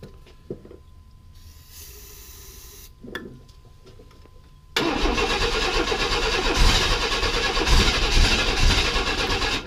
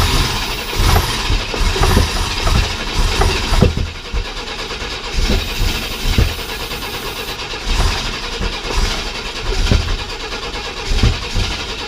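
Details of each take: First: 1995 Chevy S10 Blazer, 4.3L Vortec V6, on a cold 32° morning after the rocker arms were tightened and the timing reset: cranking, a sharp pop, then a rough, loud run on too much starting fluid. It has no fuel system hooked up yet. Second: 1995 Chevy S10 Blazer, 4.3L Vortec V6, after the rocker arms were tightened and the timing reset: uneven coughing bursts as it fires on starting fluid but does not hold a run. It has no fuel system hooked up yet.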